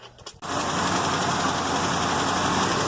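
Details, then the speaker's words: 1973 Mustang 351C V8 after checking lifter oil flow and valve cover torque to chase valve noise: it settles into a smooth, even idle with no ticking; the lifter noise is gone. "Okay, she sounds running a little bit better."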